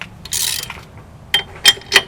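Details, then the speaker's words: 8th-gen Toyota Corolla rear drum brake being removed: short scraping rasps each time the wheel is turned by hand, as the shoes are hung up and dragging on the drum, keeping it from coming off. "Should be coming off by now. The brakes are hung up, but I was spinning around."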